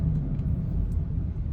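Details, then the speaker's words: High-mileage Honda Pilot, driving: deep steady droning rumble from about 30–40 mph up, louder or pitch-changing when steering right, not left; front right wheel bearing found with dried-up grease, worn wheel bearing hum. "you could hear the sound more or it changes pitch so I will try change the well bearing on this see if it helps"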